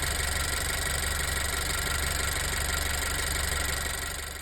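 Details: Honda EarthDreams turbo GDI engine on Chevron 91 octane, steady idle with a quick, fairly even light valvetrain tick about four per second over the hum; the tick was briefly gone after MotorKote plus Marvel Mystery Oil but later returned, cause unclear.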